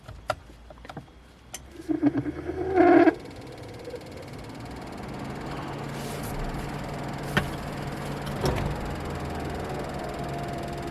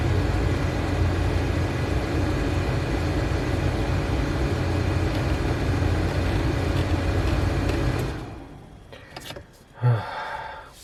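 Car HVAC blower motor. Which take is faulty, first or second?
first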